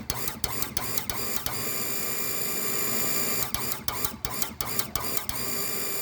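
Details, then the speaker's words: Water pump fed from 10,000-litre tank, running constantly even with one tap open, switch contact burnt and broken: sharp clicks in quick irregular bursts over pump hum; pressure switch rapidly cycling, cause suspected. "เนี่ยมอเตอร์แบบนี้นะครับขอคำแนะนำหน่อยตัวดีดมันดีดอยู่ตลอดเวลาแบบนี้"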